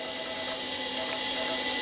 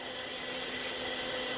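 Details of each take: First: Acer 900 286 vintage computer floppy drive giving a steady whir with quick regular head-stepping ticks about four times a second; the drive, whose health was doubted, is working. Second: Hard drive in an Acer 900 286 computer booting MS-DOS: steady shrill whine with a hissy, grating edge from worn spindle bearings: hard drive bearing whine.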